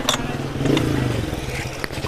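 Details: Suzuki Swift jerking while driving: uneven, stumbling idle with irregular low thumps; water found in the spark plug wells. Engine misfire at idle.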